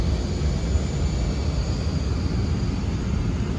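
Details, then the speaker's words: Carrier Infinity FE4AN006 air handler, no zoning, filter only, during airflow verification test with static pressure too high: loud constant roar as blower over-ramps against restriction; dirty filter or ductwork suspected, not confirmed. "It's so important to check filters, change filters, because you can hear how this thing is just over ramping, because that's how the Infinity works."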